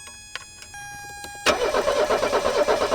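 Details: 1984 Mercedes 300SD turbo diesel, first start attempt in years, battery recovering, muffler off on the ground: steady rhythmic starter cranking, long crank with no firing yet.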